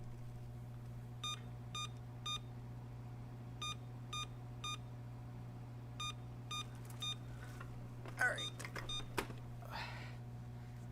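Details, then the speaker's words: Emerson Elite SX386 computer, bad RAM suspected, powered with only memory fitted and speaker removed from the case: repeating three short BIOS beeps over PSU hum, meaning base memory read/write error in the first 64K block. "i bios three beeps i thought the speaker might have been uh welded in or riveted in or something and it was just uh one screw and i could reach it base memory read write test error in the first 64k block of memory"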